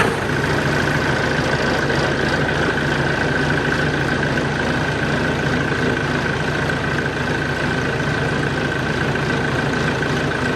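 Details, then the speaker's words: Even, steady diesel idle with a smooth low rumble, no misses or knocks, right after a jump start from a NOCO Boost X GBX155 4250 A lithium booster pack; the machine started without problems. "so as you can see not really any problems starting that size machine"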